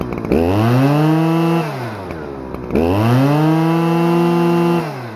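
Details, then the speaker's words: Stihl FS-250R 40cc two-stroke trimmer after a carburetor rebuild, running on 50:1 ethanol-free mix with the high idle screw set at full throttle: it winds up cleanly to a steady high scream twice, then drops back smoothly; runs healthy. "Nice. Alright, well, it runs great. Boy, that thing revs pretty dang high."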